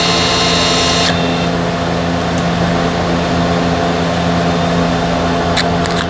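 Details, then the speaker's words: 2015–2017 Subaru Legacy, scan tool brake maintenance mode before pad install, mic by the electric parking brake motor: steady, even whir for several seconds with no catching or grinding; normal EPB retraction. "Now that's the sound you're looking for, okay? That's the sound you're looking for. Then it says brake maintenance mode was started."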